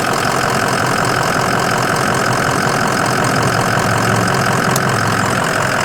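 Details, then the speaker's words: 2005 Ford Excursion Limited 6.0L Powerstroke diesel 4WD, upgraded turbo and injectors, EGR delete, rebuilt transmission at 100k, under the hood: steady even idle clatter with firm regular rhythm, no odd knocks, no blow-by or smoke; healthy. "Sounds great, no weird smells or sounds, no smoke."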